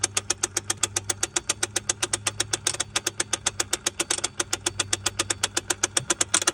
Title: 986 sl560 cruise control actuator ticking noise when off